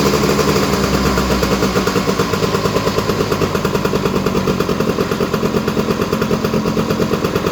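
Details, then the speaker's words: Honda EZ90 Cub single after restoration idling slightly high, steady even putter about three firings a second with no misses or knocks; smoke from WD-40 burning off the exhaust pipe, not an exhaust leak, running strong. "I thought it was a little exhaust leak, but I think it's just burning off the WD-40 on the exhaust pipe. Running strong, sounds great."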